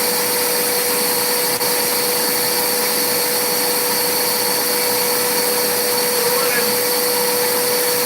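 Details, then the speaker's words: Electrolux vacuum that earlier cut off after about 45 seconds: a loud, steady high-pitched motor roar holding one tone, with no cut-out heard here. The owner suspects the vacuum sensor detects blocked airflow through a very dirty part and shuts the motor off. "So the last time when we first did it, it ran for maybe 45 seconds and it cut off, right?"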